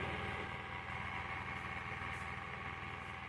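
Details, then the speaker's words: Inverter split AC indoor unit, running. The noise comes from the indoor blower fan motor mounted in the blower frame: a steady whirring drone with a loose, uneven flutter about four times a second. The blower fan motor must be replaced. "यह आवाज indoor motor से आ रहा है जो कि blower frame में लगा होता है।"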